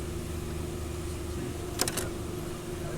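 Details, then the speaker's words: Ford Focus EcoBoost that cranked but would not start because the timing was disturbed during a water pump replacement, now re-timed: the engine fires and settles into a steady, smooth idle with one brief clatter; it runs normally now. "Kaya ginawa namin naging nag retiming kami naging Ay okay na umandar na"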